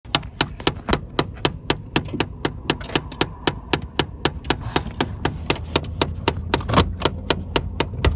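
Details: Chevy Cavalier: sharp, even clicking at about four per second over a faint low hum, traced to a box in the engine bay; cause not identified; clicking noise.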